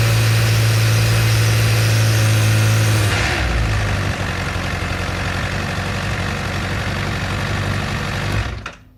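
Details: Honda CBR1000RR Fireblade motorcycle idling: fast, regular abnormal rattling pulse over low hum, then shutting down; cause unknown, owner asking for help.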